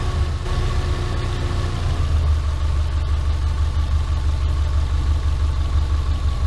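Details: Subaru Impreza engine rebuilt with SOHC heads, newly wired and with new exhaust, at first-start idle: steady, deep, even drone with no misses, knocks or whines. A normal, healthy idle.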